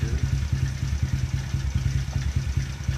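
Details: Taotao 125 started after adding Marvel Mystery Oil: uneven low clatter over lumpy idle, about 1.5 beats per second; source not pinned down, owner checking flywheel bolt and suspects starter sticking.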